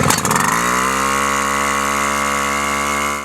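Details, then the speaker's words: Mercedes Textiles WICK 280 high-pressure fire pump two-stroke engine, primed, choke open in Run position: catches after brief pull, settles into a steady, even buzz, then cuts cleanly; healthy start and run. "with the choke open in the Run position pull the starter rewind until the engine starts this should not require more than two or three"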